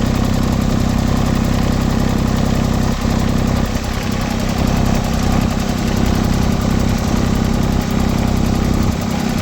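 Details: LeeBoy 1000 paver diesel that started then shut down, just after fuel-system priming and bleeding: low, steady idle clatter with an even beat of about three a second, running smoothly. Normal idle.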